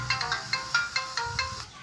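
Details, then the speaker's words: Samsung Galaxy A10s loudspeaker since a software update, ringtone playing even at reduced volume: harsh crackly melody with buzzy breakup on each note; ringer and board already swapped without fixing the distortion. "ये देखो आवाज़ कम कर दी है मैंने, फिर भी इसकी आवाज़ फट रही है। तो ये अभी फुल है, इतनी आवाज़ फट रही है इसकी,"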